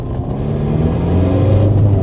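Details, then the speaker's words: Car from DriveTribe with exhaust exiting early: deep, even rally-car-like exhaust rumble climbing cleanly to about 3,000 rpm on a lap, no stutter; runs fine. "that sounds like a body escort now my God like a little race tra isn't it"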